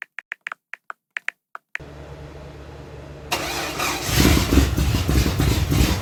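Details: 358 small-block Chevy V8 swapped into a 1975 Datsun 280Z, Megasquirt 3X, first start in over four years after wiring fixes: sharp clicks, then it catches, settles into a lumpy idle and picks up revs; starts and runs.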